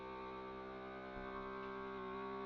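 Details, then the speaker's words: FoodSaver vacuum sealer on accessory mode, dry-food setting, drawing down a canning jar of sugar through a jar-lid attachment; steady even buzzing pump hum holding its pitch, auto shut-off when done: normal vacuum pumping. "It's going. See how that sounds? Remember yesterday I said you have to listen to how your food saver sounds. So this guy automatically turns off when it's finished, whereas the handheld does not."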